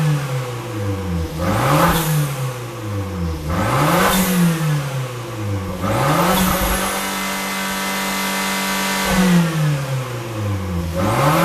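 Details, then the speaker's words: Fiat 500 Abarth turbo engine swapped into Fiat X1/9, no muffler (turbo, catalytic converter, pipe to two stainless tips): loud open exhaust blipped every couple of seconds, revs rising and falling cleanly; engine running healthy. "there's no muffler all we have on here is a turbocharger catalytic converter a white pipe and it branches up into these two stainless steel tips"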